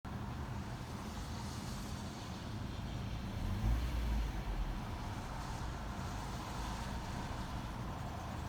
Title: Rattling Sound from Toyota corolla 2017 when in idle